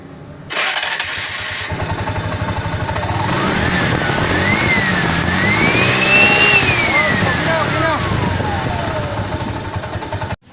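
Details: TVS King engine with a good fuel pump: cranks, catches cleanly, swells up in revs and settles back without stumbling; fuel delivery healthy.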